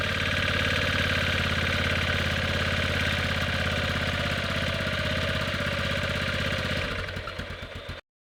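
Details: 1998 Yamaha Grizzly 600 ATV after wet clutch replacement and one-way bearing refit: even single-cylinder thumping, about four beats a second, slightly hard as if the choke is on but regular, then clean shutdown; normal idle.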